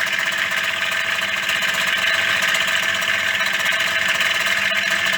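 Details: Yamaha DT50MX 50cc two-stroke at idle: busy, tinny, irregular metallic rattle over the buzz; starts and runs but sounds too rattly, cause not found, engine to be dismantled and bearings replaced.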